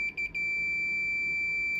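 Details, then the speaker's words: Sony PS5 power supply, which stayed dead even with a load attached: a few chirps then a steady continuity beep on a MOSFET near a burned resistor; MOSFET (STF18N60M2) shorted drain to source. "well I didn't have to look far for this one cuz it looks like we' got some shorted mosfets I mean they're [Music] short drain to Source"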